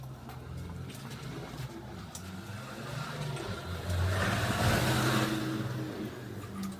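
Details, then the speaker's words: Motorized bicycle with a new two-stroke kit engine, after a fix for engine noise: smooth even idle with one brief throttle blip and no metallic knock. "eu vou ligar ela deixar na marcha lenta para você ver não tem barulho nenhum"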